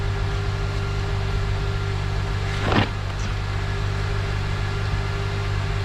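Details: 2007 Honda Accord 2.4 cold fast idle around 1500 rpm just after new O2 sensor installed for misfire code; smooth steady hum, no stumbles or misses, one brief background bump; idling well, no codes stored.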